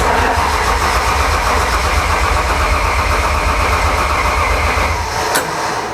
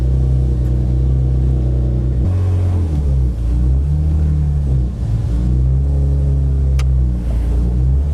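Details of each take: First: BMW M52 3.0L stroker with M54B30 crank, cranked with clutch in due to clutch issue: starter churns about four beats a second for six seconds, then winds down without the engine catching; cranks but does not start. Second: BMW M52 built into a 3.0 L stroker with M54B30 crank, high compression, aggressive cams, ported head, first track test: strong clean note rising and dropping at shifts, no knocks; healthy under load, front right tire rubbing.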